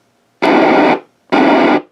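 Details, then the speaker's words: Icom IC25A 2 m VHF FM transceiver after replacing all squelch-section electrolytics, two found very leaky: two half-second bursts of hiss that cut off cleanly into silence; squelch now opens and closes normally. "I replaced all the electrolytics in the squelch section here and I found two of them were very leaky. These two here. So that seemed to cure the problem."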